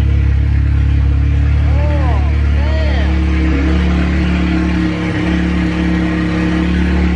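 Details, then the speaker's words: MK7 Golf R, first start at cold idle after fitting a new Trackslag 4-inch downpipe not yet joined downstream: very loud, deep booming drone with a raw rasp, far louder than before; exhaust open at the disconnected downpipe. "that resonates so much louder than what it did before I guess because it's a bigger pipe and holy guacamole"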